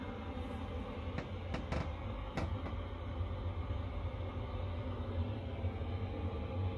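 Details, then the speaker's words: Chinese diesel heater in a box heating a tent trailer on a cold day, cabin about 1.3 °C, still warming up with glow plugs on: low steady rumble of combustion and fan, even with no misses or rattles; running normally. "so you can hear it it's starting to kick up there it goes lukewarm"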